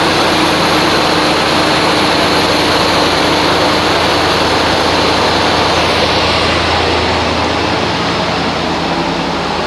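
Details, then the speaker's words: 1988-1998 Chevy K1500 Silverado V8 started after intake manifold gasket replacement, about 40-something degrees outside: loud steady roar with an even pulse, no tapping or misfire stumble; runs smoothly. "All right, it's about 40 something degrees out here, and I'm going to go ahead and crank this up."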